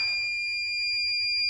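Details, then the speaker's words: LG VRF indoor unit, with an electronic leak detector waved near a corroded spot: a constant piercing high alarm tone that holds steady, detecting escaping refrigerant, later confirmed with bubble leak detector. "After all, we'll just get a bit of this bubble up leak detector, and then we'll see if we can actually see any bubbles, exactly where that's coming from."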